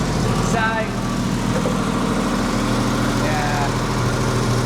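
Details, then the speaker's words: Porsche 911 Targa with a freshly rebuilt 964 3.6L air-cooled flat-six, ITBs, fuel injection and lightened flywheel, after its first tune. Warm at idle, temp gauge halfway, exhaust clamps just tightened: a soft, uneven puffing chuff shows the manifold joints still leak. "We're just checking the exhaust, because we've actually tightened it up a little bit. But as you can hear, she's still a little fluffy."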